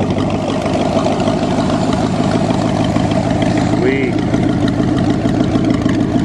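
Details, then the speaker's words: Engine idling steady and smooth on all cylinders after two black, wet, fouled spark plugs were replaced, running on its own without the bottle or throttle. "Now we're gonna fire it up again and see how smooth she runs. All by itself, not on the bottle or anything."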